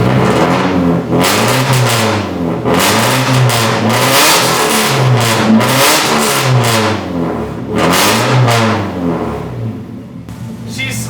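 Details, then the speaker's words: Nissan 240SX S13 after a distributor, rotor, cap, plugs, wires and fuel filter refresh and a new cylinder 4 injector, warming up and possibly on old fuel. Throttle blips stumble and pop unevenly, an intermittent misfire under revving. "You can hear it sometimes when I give it gas. It'll misfire like that. Oh, wow. It really is hit or miss."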